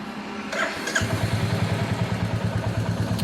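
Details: Royal Enfield BS6 J-platform 350 single (Meteor/Classic 350 type engine), no fault codes: it catches and settles into an uneven, stumbling idle with beats dropping out; misfire caused by a corroded spark plug cap.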